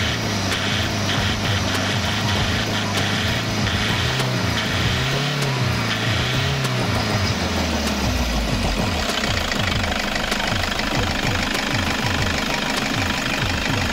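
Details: 2007 Toyota Hiace 2KD-FTV 2.5 diesel after an oil change with Toyota Genuine oil, warm after running a while with temperature gauge low: steady idle clatter with a few smooth blips rising and falling cleanly, no knock or miss; normal revving.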